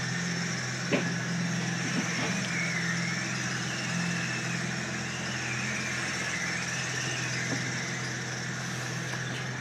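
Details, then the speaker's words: Acura TL 3.5 V6, misfire and check engine light complaint, after repair, restarted somewhat flooded: steady, even idle with faint belt chirp, no stumble or miss; running smoother, normal idle. "Get this thing out to the door so we don't asphyxiate ourselves. You can already tell it's running smoother."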